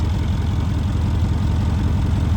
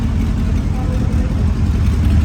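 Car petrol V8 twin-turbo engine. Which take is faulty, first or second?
second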